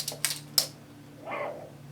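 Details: National RX-FM45 cassette radio after new belts were installed: three sharp clicks within half a second, then quiet as the mechanism stops playing forward. It plays in reverse; the owner suspects the tape is too heavy.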